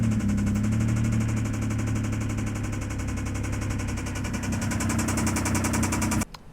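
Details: Mitsubishi GTO at a classic car auction: fast, uneven, chattering exhaust beat that never settles into a clean rhythm, then cuts off; engine runs rough.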